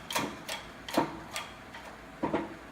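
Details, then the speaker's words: Ford Escape (2001–2002) front wheel bearing replacement: soft, evenly spaced pops about two a second as the new press-fit bearing is pressed in easily and straight without binding; normal press-in sound. "You hear that noise? Like, bop, bop, bop, bop. That's it pressing in nice and easy, and that's what you want to hear."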